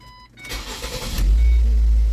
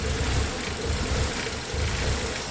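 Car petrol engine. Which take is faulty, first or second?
second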